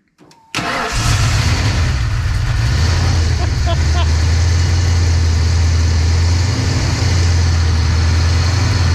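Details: 331 stroker V8 in a GT that had sat a long time and had no spark, traced to a failed brand-new part; after the fix it cranks briefly, fires right up and settles into a steady, even idle with no stumbling.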